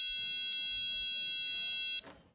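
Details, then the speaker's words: Diagnostic power probe touched to ground under the hood of a car with a fan issue (coolant leak, temperature light): steady clear high tone for about two seconds confirms a good ground, after reading 12 volts at the battery. "All right. So that's let me know that I have a good ground and also I have a 12vt source coming off that battery."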